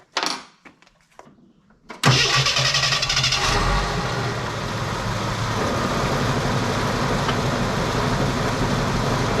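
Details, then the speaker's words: Carbureted Jeep CJ/YJ 4.2L (258ci) inline six, distributor hold-down nut loosened before setting timing: cranks, catches and idles with a slightly uneven, loping beat; rough running from incorrect ignition timing. "where the magic happens so the Jeep is running it's running a little rough and hear it in the video"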